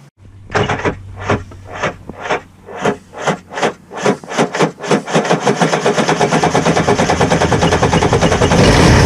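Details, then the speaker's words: 2003 Yamaha GP1300R WaveRunner two-stroke at idle: lumpy hiccuping pops about three a second, missing at idle, clearing in mid-range and returning at top; loose ignition wiring connection found in e-box, exhaust gasket also suspected. "that's difference in how it idled seems to have a bit of a Miss out an idle and kind of in the mid-range it goes away and there a top it kind of comes back"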